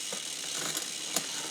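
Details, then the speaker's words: New SRAM XO Transmission wireless drivetrain just installed on mountain bike, first test: quiet freewheel with light irregular ticks and chain chatter; installer suspects rear derailleur hash marks not lined up. "can hear that I did something [Music] wrong so another thing I need to look at here but I may have messed up"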